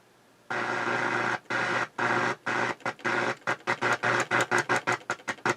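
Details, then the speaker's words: 1981 Realistic STA-2250 receiver on AM: buzzy hash bursts cutting in and out, gaps shortening to several per second; intermittent noise, cause not yet found; FM worked well. "there's that noise I got to figure out what that noise is"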